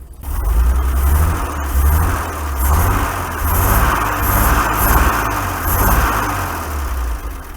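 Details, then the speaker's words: 1961 GMC K1500 4x4 pickup revived after sitting 15 years, new carburetor, coil and electronic ignition module, warmed up with idle set low: deep lumpy exhaust beat surging and sagging unevenly, valve-tap sound, owner suspects stuck-open exhaust valve; misfire, running on five cylinders. "That is doing great for 5 cylinders. Imagine what it could do with 6."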